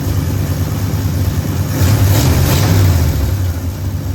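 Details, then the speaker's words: 1973 Ford F100 V8 after tune-up with new plugs, coil, points, condenser, rotor, cap, wiring, fuel filter and engine ground: even low rumble swelling smoothly as revs rise and settling again, no misses or knocks; running healthy. "That that sounds pretty good. >> Yeah. >> We just finished up. We got it running good."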